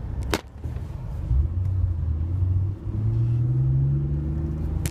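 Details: 2002 BMW E46 325i M54B25, cold: idle hunts up and down, lumpy beat, sometimes 500–1500 rpm, seen when clutch engaged to idle; suspected camshaft position sensors (ordered, not replaced), DISA valve or VANOS; intake boot checked fine.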